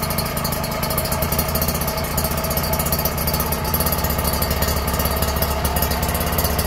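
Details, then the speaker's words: Refurbished Kawasaki Ninja R two-stroke after engine rebuild, carburettor tuned and exhaust fitted: crisp, fast, even idle pop with no knocks or rattles; judged smooth and healthy. "Ini udah kita tuning kita langsung coba Cheek sound ya Suaranya kayak gimana ya oke halus"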